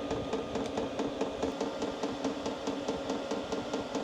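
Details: Hcalory diesel parking heater in a workshop, drawing about 100–111 W, air and exhaust lukewarm, ambient about 22°: steady soft pulsing around two beats per second over constant fan hum; running normally.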